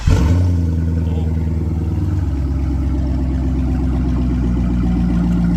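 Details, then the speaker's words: Wrecked Corvette on premium fuel, running with no mufflers fitted; it catches quickly and settles into a loud, even, deep idle with a raw open-exhaust burble and no knocks or misses, with oil pressure just above 40. "Fair warning, it doesn't have the mufflers right now. I think we forgot to point that out when we did the little walk around, but it's a little loud, but it sounds good."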